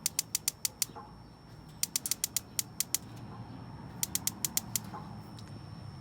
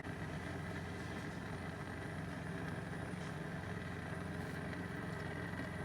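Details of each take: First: Masterchef propane BBQ: three bursts of rapid igniter clicks, about six a second, with propane hissing and smelled but no burner lighting, during a burner replacement with the cracked burner left out. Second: Masterchef gas BBQ after burner replacement, all burners lit: even, steady gas roar with blue flames, no sputter, pop or flutter; burners running normally.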